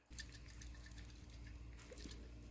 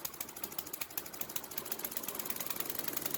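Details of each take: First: Ariens snow blower (model 910995) with Tecumseh H60-75361J engine that ran only on full choke, then wide open, then leaked fuel: faint sloshing and dripping as the original carburetor float is shaken; cracked float filled with fuel. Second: Old Ariens snowblower (model 910995, Tecumseh H60-75361J engine), after carburetor rebuild fixing choke-only running and carb fuel leak: small single-cylinder engine runs steady and even with a quick regular beat, no misses; healthy.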